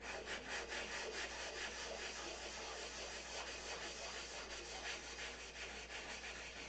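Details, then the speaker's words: Wet sanding the open bays of a Big Tucker 600 control-line model by hand: steady gritty grinding strokes, about two per second, showing the surface is still rough. Sanding continues until the noise fades to nothing, meaning smooth. "And you keep sanding until the noise goes away. You can tell when it's smooth. The noise goes down to nothing."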